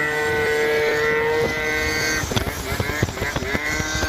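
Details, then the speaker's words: Yamaha Zuma 70cc two-stroke scooter with variator rollers changed to three 7g and three 6g: a steady buzz, then clean blips without screaming past peak. Lower revs keep the pipe in its power band, where before it fell out near 12k RPM. Normal revving. "Now that we lowered the revs, the pipe stays in the power band."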